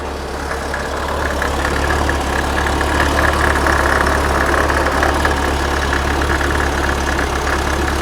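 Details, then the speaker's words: 1979 fuel-injected VW Super Beetle, air-cooled, after no-start fix with timing set near TDC at about 7.5°: catches and settles into a steady, fairly even low chuffing run; it dislikes this ignition combination and needs points back. "okay have to put points back in it it doesn't like this uh combination but it's running"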